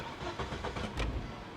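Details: 1997 Volvo 850 Turbo, long-sitting abandoned car, timing belt not yet checked: cranks, catches quickly, short rev flare, then drops into a steady, even idle with no knocks or misses. Normal start and idle.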